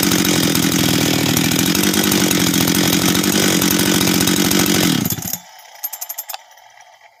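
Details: Husqvarna 385 chainsaw, first start after rebuild and assembly: crisp, even two-stroke buzz held steady, then a clean shutdown and clicks; starts and restarts easily, good throttle response and idle; normal running.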